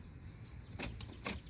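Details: Two soft quiet clicks without a solid lock thunk from the passenger front door of a 2018 Nissan Altima; the door lock actuator lacks power to push or release the latch, though the lock works manually.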